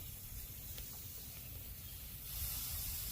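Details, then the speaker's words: Turbro mini split installation: a steady rushing hiss of gas as the line-set caps come off, showing the factory nitrogen charge held and the lines are sealed; no hiss would indicate a problem. "When you take the caps off, you should hear pressure. If you don't, then there's a problem. These units come shipped from the factory with nitrogen."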